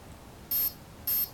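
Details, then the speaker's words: Align T-Rex 500 BEC speed controller reading back settings after replugging (brake disabled, mid timing, high cutoff voltage, helicopter soft start, medium throttle response): two short high beeps half a second apart indicating mid timing. "I'm going to unplug t-rex plug it back in again and it'll sound off the setup that I've just put in one break disabled"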